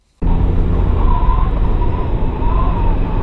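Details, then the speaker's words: 10-year-old car while driving: thin wavering whistle near 1 kHz over heavy road and cabin rumble, loudest at the door seam, blamed on a worn rubber door seal. Wind whistle from a worn door seal. "sound now I notice that the sound got the loudest when I went at the seam of the door where the door meets the frame and even though it might not look it, this car is 10 years old and often the rubber seal on the door will go bad"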